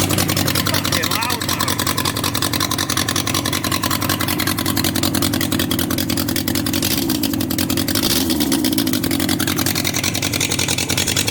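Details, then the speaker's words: Abandoned Yamaha XJ 900F four-cylinder motorcycle, believed 1980s, first start after storage with exhaust not properly fitted: loud, lumpy idle with a missing beat; running on three cylinders, number three believed dead by feel as it stays cold. "so we're running on three cylinders uh cylinder number three I believe here it's not running"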